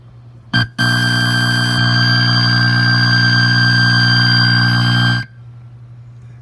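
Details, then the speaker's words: Centipede arcade cabinet gives a loud, steady, synth-like drone of stacked tones after leaving test mode, then it cuts off abruptly; game still playable; owner rules out speaker and cabinet and blames the main PCB (unconfirmed). "that crazy-ass noise it's playable but that crazy noise who starts kicking it so what is that what's causing that"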